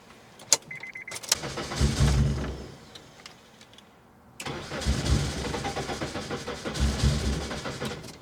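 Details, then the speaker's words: Cranks in two long bursts with a steady rapid chug after a full battery charge but never catches; owner believes there is about five gallons of fuel, cause unknown; cranks but will not start. "can hear it crank like it wants to go uh I don't think there's any I don't I don't know what other issue I can have"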